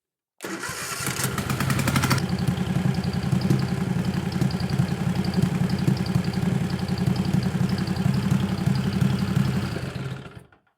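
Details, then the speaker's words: 20 HP Tecumseh twin-cylinder racing mower engine with dual 34mm PVK carbs, idle test after setting both air screws to 1.5 turns: cranks, fires, then idles choppy and uneven but fuller and stronger. Mixture suspected to have gone from lean to slightly rich. "So I told it that it runs choppy running uneven sounds fuller but and stronger."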